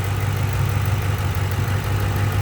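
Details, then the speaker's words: 2006 Ford Mustang GT 4.6 3-valve, about 138k miles, after cleaning VVT solenoid screen for P0022/misfire, warm idle on ramps: low even rumble, no stumble or ticking; normal idle, no codes. "as you can see it's running great sounds great you wouldn't know anything was wrong"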